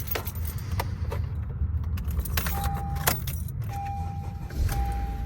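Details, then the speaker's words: 2015 Honda Accord 2.4L K24 Earth Dreams, morning cold start after new VTC actuator, timing chain, guides and tensioner: settles into a smooth low rumble without the rattle it usually made before the repair. Healthy cold start. "there we go wow sounds a lot better"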